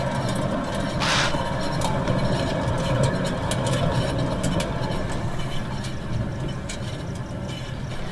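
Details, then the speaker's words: 2013-17 Honda Accord Sport, rear wheel raised and spinning: steady rough hum with gritty grind, bearing balls audibly moving; rear wheel bearing badly worn, confirmed bad and needs replacing. "I'm not sure if you guys are able to catch that or not but you can actually hear the bearing balls moving around in there"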